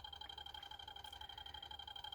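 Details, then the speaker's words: 3D-printed barrel-magnet rotor on a double JL 94 circuit with a different coil swapped in: steady rapid pulsing with two clear high tones, even rhythm and constant level; running smoothly with lots of output. "works good of course the camera doesn't pick it up but lots of output"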